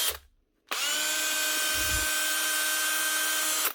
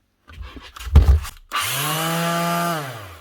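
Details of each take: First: Brushed drill (older-type brushed machine) sound-checked during repair before reassembly, listening at the rear for brush clicking from an armature imperfection: three short bursts, steady high whine with a slightly rough edge; sounds worn but not burnt out, uncertain without reference. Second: DS 320 Plus FF half-sheet grip sander after repair of a loose switch wire: the motor spins up to a clean, steady hum, holds a second and winds down, running normally.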